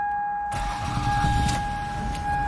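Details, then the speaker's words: 2000 Toyota Sienna, about 214,000 miles, never serviced, driving with a reported knocking or rattling from the rear: steady high-pitched squeal comes in sharply and holds an even pitch over road noise; source unknown. "well that was a squeal huh"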